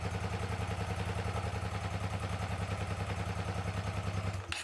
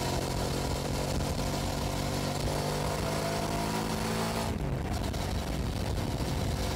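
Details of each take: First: 2006 Hyosung GT650S V-twin after two years stored, carburettors needing cleaning: uneven, loping idle with a lumpy beat around three and a half per second; running on one cylinder, won't exceed 5,000 rpm, rear exhaust header hot, front stays cold. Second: 2006 Hyosung GT650S V-twin at about 100 km/h on a test ride after a carburettor clean that cured single-cylinder running, camera on the bike. Even drone with wind rush, no misfire. Both cylinders firing cleanly.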